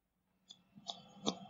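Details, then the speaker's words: Commodore 64 with a PC acting as its disk drive, loading BC's Quest for Tires: soft single clicks about every 0.4 s, one per block across 70-some blocks; normal slow block-by-block loading. "Yeah. Click, click, click. It's loading one block. And so it's got to load 70-some blocks."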